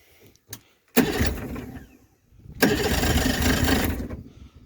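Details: Mercury 40hp two-stroke outboard after a new water pump impeller, with some throttle: two short starter pulls churning the motor over, no firing or catch between them; cranks but fails to start.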